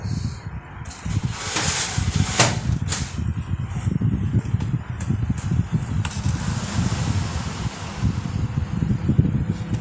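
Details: LG microwave after repair of loud cooling fan, where loose rotor was off-centre and was shimmed with a washer: steady low hum, fan turning smoothly with no rattle or scraping.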